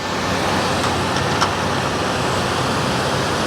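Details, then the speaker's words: 1988 Mercury Cougar XR7 V8 idling low and even with no tapping or knocking over faint background hiss, after a brief lifter tap earlier; running smooth and quiet, though ignition switch is intermittent. "she's quiet listen to that"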